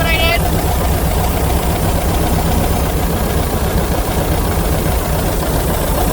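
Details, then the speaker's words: 1982 VW Vanagon L, air-cooled 2.0L flat-four, fuel-injected, automatic; had no-start trouble, air intake boot and meter cleaned, timing checked: loud, steady chatter with an even beat, no stumbling or hunting; normal idle. "in a mess just a little bit so I think about help she sounds better"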